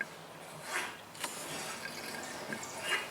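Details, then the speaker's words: Mazda power steering being bled by turning the wheel left to right for 5–10 minutes. Quiet wet pops and drips come from the reservoir as trapped air escapes and the fluid drops. This fixes power steering whine. "And how you know it's done? So you keep doing that, guys, until you don't hear or see any air coming out and fluid dropping."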